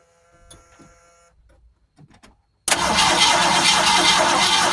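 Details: Original 1971 Ford Torino stored 25–30 years, new battery, spark tester on a plug lead: quiet clicks then steady rapid cranking that never catches; turns over but won't fire, before gas is poured in the carburetor.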